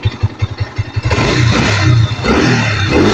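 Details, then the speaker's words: Kawasaki NS150 after engine refresh: a few kick-start thumps, then it catches on one kick and revs cleanly with an even exhaust note, no stumbling; before, it stalled when revved due to mistuned carburettor. "Ayan, oh. Ang ganda ng tunog."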